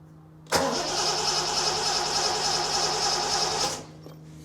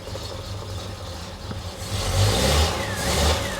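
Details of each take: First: 1973 TVR 2500M, first start attempt after new wiring harness and new ignition switch: about three seconds of healthy, even starter cranking without firing; owner suspects little fuel in the float bowls, choke not yet installed. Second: 1973 TVR 2500M first start after new wiring harness: low steady engine rumble rising slightly with throttle, no knocks or rattles, charge light goes off as it charges; a squishy noise soon follows from a major oil leak at aftermarket oil filter adapter O-ring.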